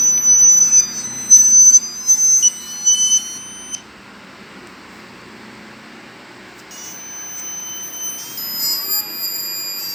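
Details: Chuwi Corebook laptop on Windows 10 with loud, shrill electronic beeping that warbles and chirps from the speakers at random, even in public; the laptop otherwise works normally and the cause is unknown.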